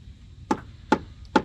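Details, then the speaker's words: Tap test on the transom of a used boat: hammer taps sound dull and hollow and the hammer bounces, showing a rotten, delaminated transom core; crazing in gel coat and added silicone around transom assembly also noted. "the next thing is the simple tap test and you can hear it sounds quite Hollow and the hammer even bounces"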